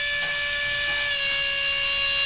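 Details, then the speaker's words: Brand-new FPV quad with preproduction motors, armed and spooled to about 90–100% throttle: loud, steady high-pitched motor whine with harsh buzzing, obnoxiously noisy, possibly out of balance; all motors on this normally smoothest quad behave this way. "You can hear it. It's really loud, right? You can see it. It's freaking obnoxiously out of balance. Or maybe not out of balance, but it's obnoxiously noisy."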